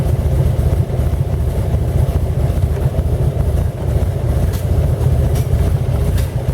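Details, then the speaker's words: 1917 Buick E-49 on a 4-mile drive, temperature up to about 127 degrees: low, uneven idle with loose puffing sputter from a slight exhaust manifold leak; owner plans stove putty or a new copper gasket. "is because i got a slight leak in my exhaust manifold i gotta put some stove putty on that"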